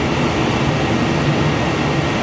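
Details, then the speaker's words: Heil gas furnace after burners shut off in cycle-down, blower on; even, steady whoosh and low hum with no knocks or rattles as inducer keeps spinning and drawing amps to purge excess heat, normal post-purge run. "You can see it's still spinning. We're still having amp draw. This is what we were looking for. We want the inducer to run for a little while after the burners kick off to get that excess heat out."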